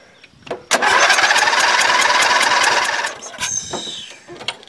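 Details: Dynamark riding lawn mower sat since last fall, on little fresh gas after fuel flow checked and stale-smelling fuel flushed: catches and buzzes about two seconds, then sputters and dies; owner suspects carburetor trouble or water.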